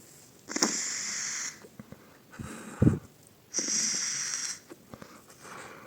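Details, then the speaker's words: Vaporesso XROS Mini pod cartridge after a fix for bottom leaking, tested again after further standing: each puff a raspy, airy wheeze with slight crackle; owner thinks it hasn't fully dried and clears it with a few puffs at maximum power. "Well, what do I do in such cases, yes, sometimes there is this wheezing in the cartridge."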